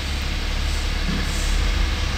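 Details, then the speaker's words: BMW X6 (2018, N57B30 3.0 six-cylinder diesel) started after an oil service (6.5 L with filter) and service reset: a low, steady diesel rumble at idle with an even beat, no knocks or rattles; runs normally, no problem. "our vehicle is working. There is no problem."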